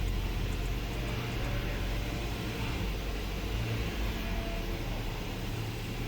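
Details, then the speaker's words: 2014 Nissan Altima, believed 2.5 L, with P0014/P0300, after the stuck exhaust cam was commanded via scan tool above 2,000 rpm and finally moved: steady, even low rumble with no misses, purring smoothly. Steam is visible and a coolant leak is possible. "This thing's running smooth, guys. I don't know if we've got ourselves a coolant leak or what. You can see the steam rolling up there, but this thing is purring like a kitten."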